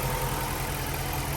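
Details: 2006-10 Dodge Charger 5.7 HEMI V8 after water pump, timing cover gasket and radiator replacement, idled warm until thermostat opened; steady even idle with low smooth burble, no ticks or knocks; no leaks, sounds healthy.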